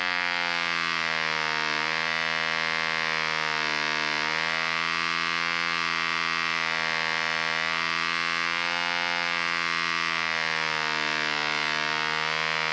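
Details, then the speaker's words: 1947 Frog 100 Mk1 model diesel engine runs sweetly, then the high buzzing note sags and recovers as revs drop off. It struggles to draw the last bit of fuel from the tank; owner says the needle valve could counter it. "I think it really struggles to draw that last bit of fuel out of the tank, because it runs absolutely lovely until it gets to the last bit of fuel, and then you can hear the revs start to drop off."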